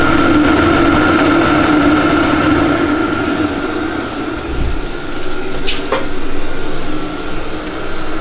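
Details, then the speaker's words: Webasto diesel air heater in a leaky, roughly 30 m² metal garage, exhaust out a chimney: loud constant blower drone with a steady whine; runs normally but heats slowly (about 10° in 1.5 hours), and the noisy blower is a drawback. "Przede wszystkim długo nagrzewało, słychać było takie tą dmuchawę, co na minus."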